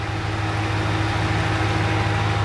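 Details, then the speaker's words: Truck first cold start of the morning with a light fast tick over the idle that sounds like a lifter tick but already fades within a minute as it warms; an exhaust manifold leak, louder on one side. "now it's only ran for a minute and I know that sounds like a lifter tick so watch this so if you can't tell man it's already starting to go away"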